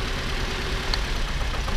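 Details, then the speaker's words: Toyota RAV4, about 2013, at idle during a coil-unplug test: uneven, shaky, lumpy idle with occasional stumbles. Unplugging cylinder 3's coil makes no difference, so cylinder 3 is misfiring. "And yes, so we have a problem number 3 cylinder."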